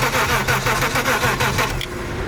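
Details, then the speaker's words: Used BMW E34 with OBD1 cranking with the intake open: starter cranks in lopsided, uneven bursts; low compression or spark plugs suspected, possibly just the open intake. "kind of sounds like it's like sounds weird sounds like it has like low compression or like no spark plugs or something through here"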